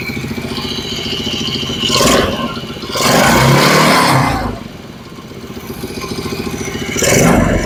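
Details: Kids' Chinese ATV small single after alignment: small revs up that settle back in several smooth blips with no knocks or misses. Normal running.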